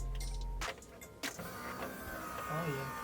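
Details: BMW E30 on its first fuel-up, with a newly installed fuel tank and fuel pump: a steady low hum for about half a second, then clicks. The fuel pump runs and primes normally.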